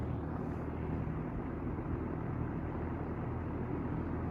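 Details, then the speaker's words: Vintage 1977 Wells Royal S-122 fan running on low: smooth even whoosh with no hum or buzz; fan motor running quietly and normally. "so now we're gonna run on low no buzzing as you can hear"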